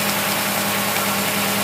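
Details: Holley 50262 Motorcraft carburetor tested on a running engine, fuel pressure raised from the regulated 3 psi: steady even idle with no stumble or speed change; mixture barely changes, carb holds fine.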